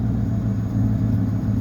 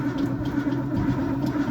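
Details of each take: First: 1973 Ford LTD, 460 4V big-block V8, low compression, almost 85,000 miles, started in winter after sitting 2–3 months: deep, smooth, steady idle with no stumble or tapping, a normal warm idle. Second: Big-block Ford cold start with no fuel and no working choke; long uneven cranking, brief stall, then it catches and runs rough and lumpy,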